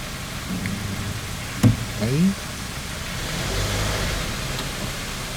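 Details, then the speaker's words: After clutch kit replacement (disc, pressure plate, release bearing), engine cold: the engine idles then revs smoothly and falls back, with no grinding, chirp or rattle from the clutch with the pedal pressed; the repair is good. "sobra a ver con un recambio ahí y le sobra y ahí y ruido nada y con el embrague apretado nada así que esto quedó bien"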